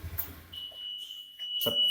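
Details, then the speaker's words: Motorcycle fitted with WiFi Smart Motor V1 keyless Android alarm, ignition key switched off: high steady tone over a second then short chirps; alarm arming automatically at switch-off. "kalau mematikan motor ini setiap mematikan jadi alarmnya akan diaktifkan tadi otomatis kunci kontak dimatikan langsung Alarm menyala"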